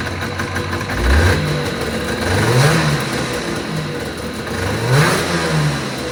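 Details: 1980 Yamaha Enticer ET300 two-stroke, revived with fresh plugs and mixed gas after sitting, just started after much coaxing. Two throttle blips, revs rising and falling cleanly with no misses or knocks; running well.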